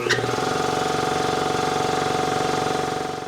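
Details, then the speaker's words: Ingersoll Rand 5HP 2-stage 80-gal compressor, eBay motor with new magnetic starter, about 19.5 A running, probably over 100 A inrush: short belt squeal at switch-on then even pumping; belt on loose side slips briefly; starts a bit quicker. "It does sound like, to me, it's starting a little bit quicker. You can hear the belt squeak a little bit. The belt is on the loose side."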